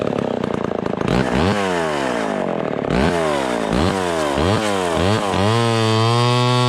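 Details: Vintage Homelite Super XL Automatic (XL12) chainsaw after full tune-up (points, ignition, fuel, carburetor, clutch bearing, chain): crisp two-stroke buzz revved repeatedly, each climb clean and quick, settling to steady high tone; runs healthy.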